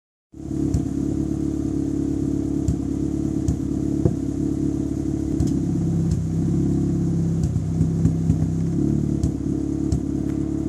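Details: MK5 Ford Fiesta Zetec S petrol on V-Power, with new leads, coil, alternator, battery and plugs, misfiring at idle and under revs: uneven, stumbling beat with irregular pops.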